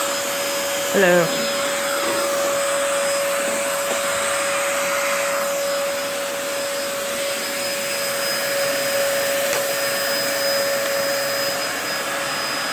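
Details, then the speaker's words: 2004 Dyson DC14 Animal vacuum, fixed up and on its first run since a new HEPA filter: a steady roar with a thin, unwavering high motor whine. The owner says the bearings sound a bit funky, whining after a while. "the bearings do sound a little bit funky a little bit of a whine to them whenever I you know just after a while"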